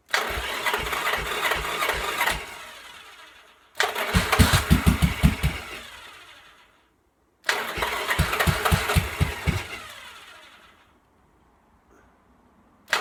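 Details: 1986 Yamaha XV750 Virago on a Gen1 KJS single-carb manifold, first cold start after winter. Three rough start attempts with sharp pops, each dying: backfire through the carb, may need retuning.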